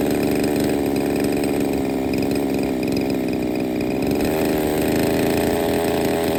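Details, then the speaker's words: Used Redcat Rampage XB RC car with a Walbro 990 carburetor, hard to get running: small two-stroke buzzing steadily at high idle, pitch rising and falling slightly, fairly even but rough-edged. Starts, but has major issues. Rough running. "okay so it definitely starts up but it has major issues but it sounds good it sounds healthy"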